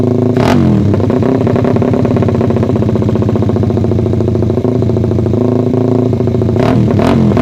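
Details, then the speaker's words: Suzuki Satria FU single after ignition timing was advanced slightly via the pulser, blipped: rattly, uneven exhaust note with sharp spikes, holding back up top. More tuning is needed. "Ini tes suara Satria FU setelah geser pengapian diffuser ya jadi kayak gitu masih ternyata masih agak nahan jadi harus setting-setting lagi"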